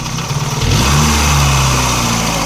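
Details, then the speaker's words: VAZ 2109 (Lada) engine, warm at about 90°C and louder when cold: a quick rev blip drops back to a rough idle with metallic knocking from the block, not the head. Owner suspects a connecting rod on cylinder 1 or 2; unconfirmed. "Мне кажется, это шатун где-то звенит. Скорее всего. Либо в первом, либо во втором."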